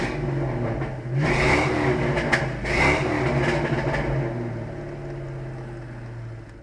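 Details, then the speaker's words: Ford Mustang GT V8 after about three months of sitting, revved in neutral: blips up smoothly twice and settles back to a steady idle, clean pull with no knocks or misfires. Normal, healthy engine revving. "as you hear you don't even really hear it it's a neutral manage it sounds amazing healthy engine like I said"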